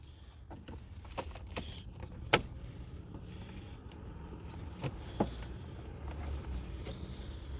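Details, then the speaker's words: 2002 Toyota Sienna that cranks but won't start after a battery replacement, listened at the fuel filler with key cycled on and off: only a couple of sharp relay clicks, no pump hum from the tank; fuel pump silent. "so you hear the click right there's a click going on yep you hear the click the click happened"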